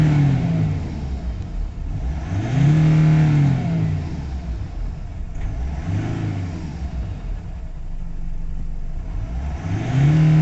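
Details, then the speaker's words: Nissan Navara D40 2.5 dCi diesel after codes cleared (fuel pump code gone, engine light off; suspected tank contamination affecting fuel pump): several clean revs rise and fall smoothly to high speed, no stumble; full revs restored. "Yep. So it looks like that's all sorted. We've got full revs."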